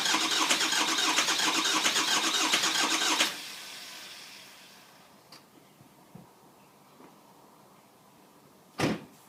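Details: 2004 Ford F-450 6.0 Powerstroke after coolant flush, oil changes, oil cooler replacement and EGR delete, batteries fully charged: starter grinds steadily for about three seconds and the engine coughs but never catches. Long crank, no start.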